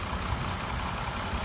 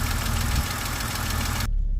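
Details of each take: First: BMW X5 E70 after running about two minutes to lubricate lifters left dry from sitting: smooth, even idle with a steady low rumble and no lifter ticking, still quiet revved to 3,000 rpm. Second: BMW X5 E70 at idle, engine bay, with a fast light lifter tick after sitting about a month, oil drained from the hydraulic lifters; fix is revving to about 3,000 rpm for two minutes to recirculate oil.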